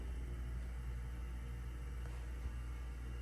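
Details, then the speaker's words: Dover hydraulic elevator installed 1997, in an empty building, pump motor on viscosity control that keeps the pump warm in cold weather: quiet, steady low hum with no rattles or surges; sounds healthy. "This thing's on viscosity control. I thought somebody called it. Listen to this. Yeah, that is definitely viscosity control, which basically keeps the pump warm in case if it gets cold outside."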